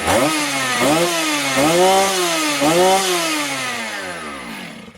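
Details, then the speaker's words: Motor Sich 270 chainsaw after ignition coil replacement, no-start fixed: starts first pull, crisp two-stroke revs rise and fall cleanly about once a second then settle smoothly; normal running. "слухаємо все пила пішла з першого разу друзі"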